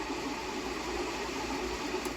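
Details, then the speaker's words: Volkswagen Tiguan HVAC blower after a scan showed a fresh air blower mechanical malfunction. The stuck fan, likely stuck from moisture or sitting, was freed by hand. It now gives a steady, even whir with light motor hum, no scraping or ticking: normal blower running after the fix. "so I moved the fan and then here's what happen it start moving it's start working so what it was the fan was just got stuck and maybe because this car has been set for a little bit"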